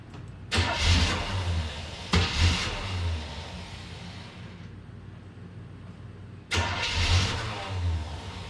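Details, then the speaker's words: Engine fires, runs about a second, fades out, repeating three times; start-and-die caused by stripped teeth on a small ignition switch gear dropping out when the key is released; fuel filter had been moved before the fuel pump. "s dying as soon as it let off because that little gear had some teeth stripped on it. And yeah, so my friend helped me decipher that over the phone, and that's why it would start and die and start and die and start and die."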